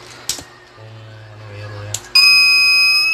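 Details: TBE 2000W pure sine wave inverter under repair: quiet hum, then a loud, steady high-pitched fault buzzer that holds without a break; cause not confirmed.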